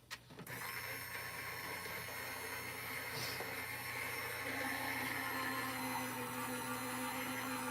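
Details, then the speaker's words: Gemini die-cutting machine rolling a heated hot-foil plate sandwich through (Gemini Foilpress hot foiling): steady motor hum with whirring gear whine, no knocks or grinding; running normally. "and i'm just gonna roll this through the gemini you'll hear it"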